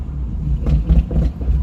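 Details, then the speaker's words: Hot engine that was missing at all rpm, with rotten egg smell; deep stumbling rumble with dull exhaust backfires as throttle goes on, bogging instead of accelerating; owner suspects clogged catalytic converters. "See, it'll idle soon as you give a gas. You can hear it. Will not accelerate backfiring through the exhaust."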